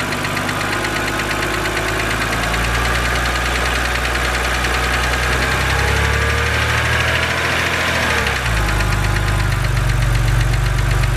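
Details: BMW 130i N52 engine at idle, bonnet open: light, fast ticking about four per second over steady idle, the known N52 hydraulic lifter tick; considered harmless, just annoying.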